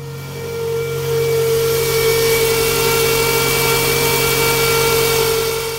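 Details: Toyota engine running with battery at 12 volts: steady, fairly high whine that holds pitch over the engine; owner suspects the alternator.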